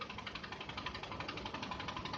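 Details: Toyota Camry 40, manual gearbox: quiet regular knocking at low idle when the AC cooling fans switch on; disappears with higher revs or clutch pedal pressed. Knock at idle with AC on.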